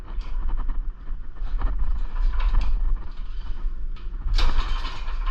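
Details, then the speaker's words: Secondhand Ariens snowblower engine with dark oil and old gas, pulled over slowly by hand to check compression: firm, evenly spaced low thumps as each stroke pushes against compression; compression is good. "Oh yeah, she's got compression, all right. Yep, you feel it right there. You could also hear it coming out there."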